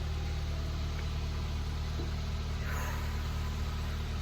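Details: Neglected Nissan 100NX petrol engine idling: steady, even low hum with no stumbles or missed beats; the earlier misfire is fixed.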